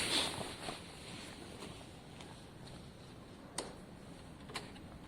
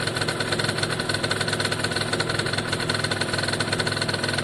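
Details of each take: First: Italjet Formula 50cc two-stroke paddock bike, newly refitted carb, fuel tap and airbox: the starter whirs steadily but the engine never fires; owner feels too little fuel trickles through; no start from a wet fouled plug. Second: Italjet Formula 50cc two-stroke paddock bike after carb and fuel tap work: a crisp, even idle with a quick steady buzz, no misfires or rattles; owner says it looks and sounds very happy; normal idle.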